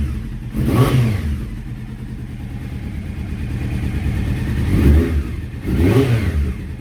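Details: Honda CBR600F carbureted inline-four at idle after rebuild, before first ride: lumpy, uneven idle with throttle blips, stumbling as if missing on a few cylinders; exhaust pipes of cylinders three and four much hotter than the other two; ignition and carburettors suspected.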